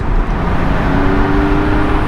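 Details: 2006 Porsche 997.1 Carrera 4S Cabriolet, manual, flat-six: deep, even roar climbing smoothly with throttle over road noise, no knocks or rattles; normal, healthy engine revving under acceleration.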